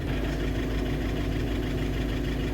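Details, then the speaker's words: VW Vento diesel before repair, at idle: loud, hard rapid rattling knock on every firing stroke, described as tractor-like injector knocking that worsens with AC on. "ਤੁਸੀਂ ਦੇਖ ਸਕਦੇ ਹੋ ਬਹੁਤ ਜਿਆਦਾ sound ਆ ਕੜਕੜ ਕਰਦੀ ਤੇ ਇਹਦੀ ਆਵਾਜ਼ ਕਰਾਂਗੇ ਜਵਾਂ ਪਟਰੋਲ ਵਰਗੀ"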